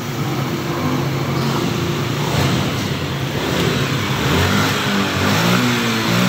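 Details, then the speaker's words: Motorcycle that stalled at full throttle (TPS sensor error), after a 2–3 mm shim fitted at the throttle lever: engine picks up cleanly and holds revs through blips without stumbling or cutting out; result good, no problem. "Oke, hasilnya bagus, hasilnya aman, jadi tidak ada masalah."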